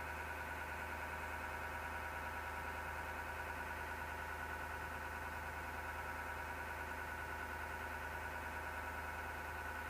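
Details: PC case with a constant whirring drone with a rough, gritty edge that never changes pitch; something spinning inside is grinding, source unclear.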